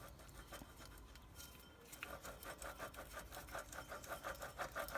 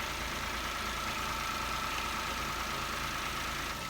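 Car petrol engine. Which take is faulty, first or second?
first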